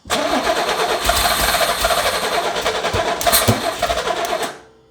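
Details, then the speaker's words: Long-abandoned 80s Pontiac Fiero lowrider cranked after sitting for years with new distributor: ragged cranking, uneven firing and sharp backfire pops; firing order or timing suspected wrong, plug wires believed misplaced, distributor loosened to adjust. "you can hear it firing it's just like the order's wrong or the timing is way off it's exactly what it sounds like"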